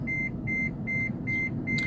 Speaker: But this car is making noise now because the brakes are failing. I'm still able to stop. It just requires a lot more pressure on the pedal.